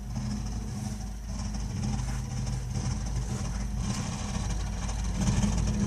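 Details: Burnham Alpine ALP150W gas-fired boiler, 3 years old, frequently rumbles while running: steady low rumble with an uneven throb and faint hum underneath while firing; cause not pinned down.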